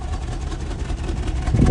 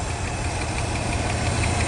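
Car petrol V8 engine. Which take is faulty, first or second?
second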